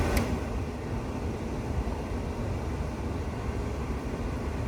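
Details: 1985 K5 Blazer heater blower after installing a new blower motor: even low rushing air with a smooth motor hum, no squeal, ticking or wobble; blower runs steady and healthy.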